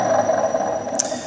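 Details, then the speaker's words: 1966 Hitachi 1.5 hp three-phase lathe motor on a VFD, quiet for 30–45 seconds then suddenly loud: steady loud hum with a harsh high howl riding on it; worn motor bearings suspected, later replaced with NTN 6306. "so what is weird is when i first fired this up for the first 30 to 45 seconds it was actually pretty quiet and then all of a sudden it got super loud so i don't know if i would happen to the bearings"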